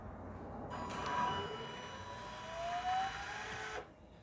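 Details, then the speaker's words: 2018 Swift Conqueror 580 caravan motor mover disengaging: steady electric motor whine for about three seconds, then stops cleanly as it resets before adjusting again; normal operation. "The reason for that is it needs to reset itself, so as you can hear, it's now stopped. But then in a second, it'll adjust itself."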